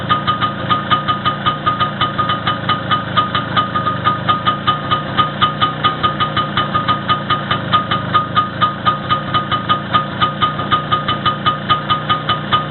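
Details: First start after repair, with the wrist pin bushing and the whole piston group replaced: even, steady idle with regular firing pulses, no knocks or rattles; runs smoothly.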